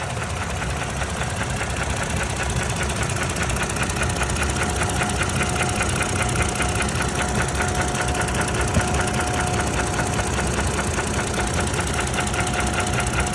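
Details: 2017 third-gen Toyota Tacoma, 2GR-FKS engine: a steady hum with a fast, loose ticking knock of about two or three beats a second; owner considers it not normal, cause unknown.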